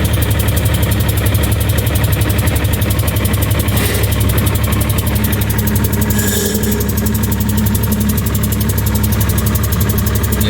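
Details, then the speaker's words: John Deere 260 skid steer diesel, first run after an oil change and new hydraulic fluid with no coolant; loud, rough idle with an uneven thump about twice a second. It later banged and wouldn't restart, so a blown head gasket is diagnosed. "came back a couple days later to move it and i went to fire it up and there was a very loud bang and it never started again so i know the head gasket's bad"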